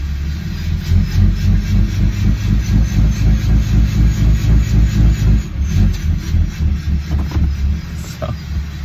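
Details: 2013 Dodge Ram 6.7 Cummins, fully warm at 86°C with the exhaust removed, in drive at light throttle. A steady whooshing pulse, about four beats a second, rides over the diesel: VGT turbo surge, boost limited to 16 psi at WOT. The owner suspects a sensor, but the cause is unconfirmed.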